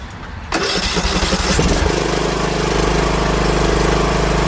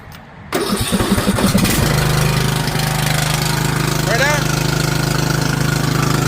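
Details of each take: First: Ariens 20 HP 46" Hydro riding mower (model 936056) that had become very loud, after the muffler was replaced. The engine fires straight up and settles into a smooth, even idle with no exhaust rasp or blowing, quiet and healthy. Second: Ariens 20 HP hydro riding mower, model 936056, 46-inch. The mower started getting very loud after a crash. It starts and runs a steady, unusually loud, raspy blat for about six seconds; the muffler was cracked, and replacing the muffler fixed it.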